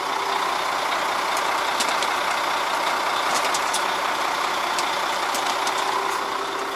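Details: New KamAZ 5490 NEO 2 truck with manual gearbox, cold start at idle (coolant 40°C, oil pressure 3–5 bar): even steady diesel hum with light ticking, no whine or groan from the power steering pump; sounds normal.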